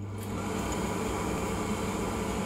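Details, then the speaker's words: Glow Worm Micron 50FF boiler fan after lubricating the sticking motor shaft with WD40: steady, even whir at constant pitch with the earlier squeal and rubbing gone; fan spins freely, fixed. "all right it sounds a lot better doesn't have that like pitch kind of squeal"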